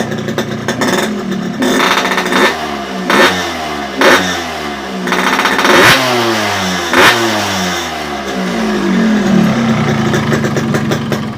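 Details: Yamaha RX King two-stroke after carburetor/reed membrane setting; leaking reed petals had caused no idle and sluggish low throttle. Now crisp blips climb and drop cleanly, settling to steady idle; normal idle and throttle response.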